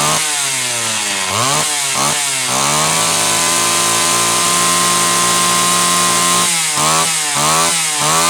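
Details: Homelite Super XL chainsaw test run after starter spring repair and a bad new spark plug replaced; it was previously running lean: crisp blips, then a sustained high rev without sag, slightly rich up top on purpose to warm up.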